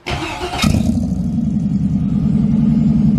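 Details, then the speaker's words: Buick with newly installed engine: half a second of cranking, then it catches and settles straight into a deep, even idle with a steady lope; starts clean and healthy. "fire right up damn that sounds good yeah it sounds amazing wow"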